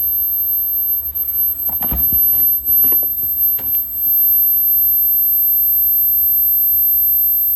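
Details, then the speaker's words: Freezer compressor on a larger inverter from a solar battery bank, after it failed to start on a 400 W inverter: thin, steady, very high-pitched whine over a low hum while the compressor runs; cause unknown. "I'm hearing a real high pitched sound. I get ring. I don't know what that's about, but we're gonna let it run."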